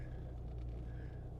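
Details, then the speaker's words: Airlift Performance air suspension with pillowball bearings, car warm, pulling away slowly; earlier bushing noises stopped without replacing anything, now silent; low even road rumble with no squeaks or creaks; quiet suspension. "so as I drive out of here I want you to notice there's no squeaks or squals there's none of that like it is now silent on the bushing side of uh the suspension"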